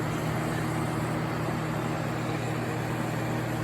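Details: Vintage Sears Coldspot 28 dehumidifier, cleaned and dried, run with shroud off drawing about 391-393 W; steady low hum and even fan hiss with no knocks or rattles, coil getting cold; normal running.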